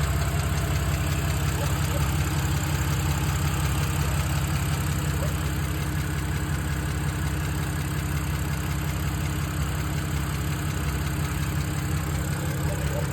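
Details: 2007 BMW 328i E90 with N52 engine at idle: light, fast, even tick over a smooth hum; owner unsure whether lifter tick or early rod knock.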